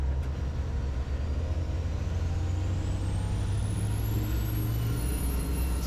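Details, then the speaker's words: Twin Cummins 6.7 truck diesels in a 1969 trawler on sea trial, held at high rpm under load to confirm they meet or exceed 2400 RPM so they aren't overloaded; deep, steady, even drone, no knock or miss; 2400 exceeded. "Just have to make sure the engines meet or exceed 2400 RPM."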